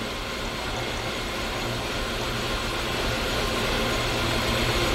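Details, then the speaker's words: 2015 Kia Soul 1.6 L at idle, check engine light on, shaking: faint irregular stumble about four beats a second; scan tool shows cylinder 3 misfire following the swapped ignition coil, so the coil is faulty. "right here look at the misfire account now cylinder 3 is misfiring cylinder 3 is misfiring now so the problem is the coil"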